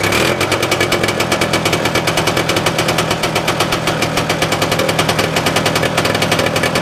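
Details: 1971 Moto Ski Capri two-stroke snowmobile with a new fabricated exhaust and muffler from tractor parts: loud, rapid crackling exhaust held steady at fast idle, even with no misfire; quieter than a straight pipe; normal running.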